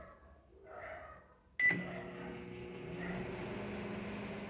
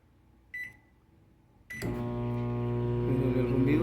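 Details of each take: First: Microwave after repair for not heating and making noise: a click, then a steady, even hum with a light buzz that holds without rattles; running normally. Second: Microwave that does not heat, under repair: keypad beep, then it starts with a loud, coarse low hum and a faint wavering tone; loud humming noise while running.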